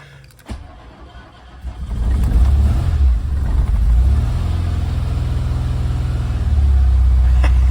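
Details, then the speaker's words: MK2 Golf GTI 16v, untouched and sitting for 6+ weeks, first start attempt on a fresh battery with a little throttle. Weak cranking stutters, then it catches into a deep, steady rumble and holds: engine starting after long cranking. "Oh. Come on. Come on. It definitely sounds like it's trying. Bit of gas. Oh. Oh. Woohoo! It's gonna start."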